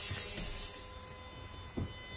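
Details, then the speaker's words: 1st-gen Cummins at 6°C, engine off, key at wait-to-start during a PCM repair for no charging: faint, steady, high-pitched whine with soft clunks from the energized grid heater relay during preheat; working normally. "i can hear the grid heater relay is whining this should click off and then we'll fire it up and then the grid heaters will start doing their post heat cycle here"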